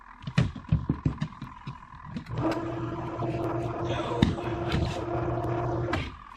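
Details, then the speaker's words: Wonder Washer found new in opened box, first plug-in test: timer runs, motor starts slow with uneven thumps then reaches a steady, even mid-tone hum; motor running fine. "This is a timer. Well, I hear the timer run. Oh, it's running. It's just moving slow. There it goes. Look at there. That thing's running pretty good."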